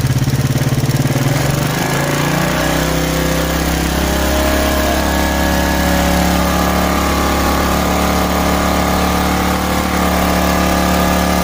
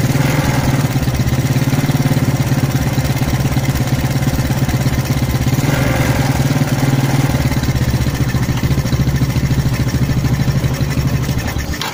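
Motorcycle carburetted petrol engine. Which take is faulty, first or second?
second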